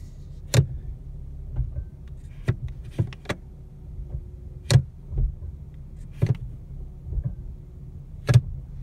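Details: New 2017 Ford Mustang V6 automatic, about 580 miles, after dealer replaced a defective driveshaft flange: sharp metallic clunks over steady idle when shifting P to R and into D or S; cause unconfirmed.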